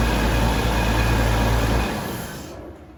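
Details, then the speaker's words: Jaguar XJS that sat for 30-35 years, first start: a loud steady drone with a fast beat of about four per second at a high hot idle, dying away at shutdown. The noise is unidentified; the owner hopes it isn't the oil pump. "Sounds loud. I don't know what that noise is. Hopefully that's not an oil pump or anything. Go ahead and shut it off. Making a funky noise somewhere."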